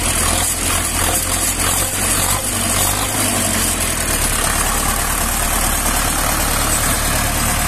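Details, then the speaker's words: Rebuilt tractor diesel idling evenly after fixing a sleeve set too low that pushed compression into the coolant; oil pressure 5.5 at 1200 rpm, coolant no longer rising, temperature OK. Smooth low rumble, no knocks, misses or hunting; healthy. "ciśnienie ma 5,5 przy obrotach 1200 także jest okej"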